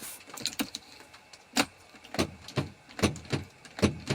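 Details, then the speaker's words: Forestry machine with good batteries showing about 25 V: sharp single solenoid clicks about once a second on each key turn, no cranking; starter motor suspected faulty. "So the solenoid's clicking. It's trying to fire the start motor in. the starter motor won't fire."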